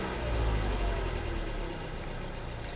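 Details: 2011 Toyota Camry 2.5 at about 180k miles: low, uneven rattling idle like marbles that sags and stalls unless the throttle is held, lacking power; codes P0015/P0017 for exhaust cam timing point to a cam timing fault.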